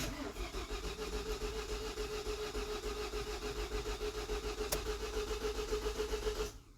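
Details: 2017 Ford Transit 2.0L EcoBlue diesel, past cambelt interval, codes P0016, P0340, P2279, P0299: quick even cranking about three and a half turns a second for six seconds, never fires; no-start from wet timing belt that shed teeth.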